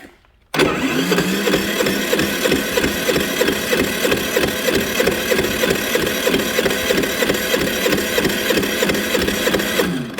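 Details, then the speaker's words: Generator engine after draining water from the carburetor via the bleed valve: catches within a second and settles into a steady, even, fast run with no stumbling; the fault was water in the gas. "Well, as you can hear, we got her running. Ended up being all that water in the gas,"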